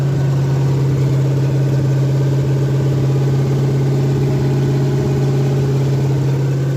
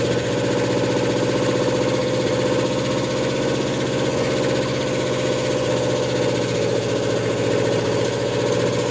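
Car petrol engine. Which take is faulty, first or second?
second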